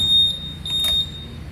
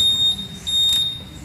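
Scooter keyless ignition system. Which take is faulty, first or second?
first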